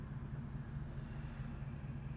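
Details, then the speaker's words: 1965 Ford Mustang Fastback, period-correct 289 V8, automatic; steady even low rumble at idle with no popping, sputtering or misses, healthy smooth idle. "listen to that nice smooth quiet Idle No popping no sputtering no keeping my foot on the gas keep the car running"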